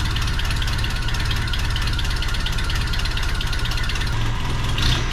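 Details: 1985 Toyota 4Runner after engine rebuild, warming up for a timing check after reconnecting an unplugged plug behind the ECU: steady, even low idle with regular pulse, no misses or stumbling.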